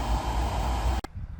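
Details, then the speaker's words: 2015 Chevy Camaro SS RS convertible (2SS), blower running after a new cabin filter: soft, even airy rush with faint low hum, no rattle or squeal, stopping cleanly when switched off; quiet, repair a success. "You can hear the new one. It's quiet. I'm gonna call that a success."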